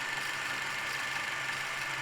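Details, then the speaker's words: Krasnogorsk-3 spring-wound movie camera loaded with film, running normally at 24 frames per second: steady even high whirr, the correct sound with no tearing or jamming noise. "to jest hałas, który powinien być, jeśli jest taki hałas, jeśli słyszysz coś takiego, to tak, jakby próbuje rozerwać folię lub coś innego."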